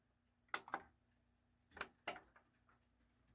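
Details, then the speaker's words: Technics SA-EX310 AV control stereo receiver (thrift-store unit, likely 1990s), bench power-on: a couple of sharp clicks then one solid clack as the relay engages normally, display light show follows; normal power-on relay click. "I can verify to you that it is turning on and you can hear for the Relay click there's the big click and it does a little pretty little light show"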